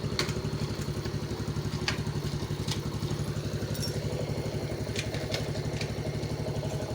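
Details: Yamaha X1 110 carburetted motorcycle after rebore and new rings, with the clutch fixed (broken one-way starter clutch, reversed rotary oil filter): steady, even single-cylinder putter, no clatter from the clutch side. Healthy idle after repair.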